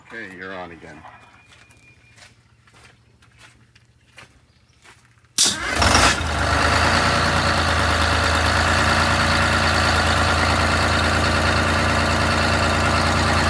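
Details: MCI MC5 coach diesel, first start after new rod and main bearings, new air, coolant and fuel lines: cranking, then catches abruptly and settles into steady, even idle with low drone; normal diesel start and idle.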